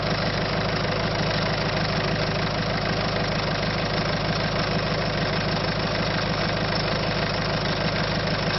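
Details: Citroën C5 1.6 HDi diesel lacking power, at idle: a steady clatter of about three beats per second runs through the rumble. Abnormal engine noise, cause unknown.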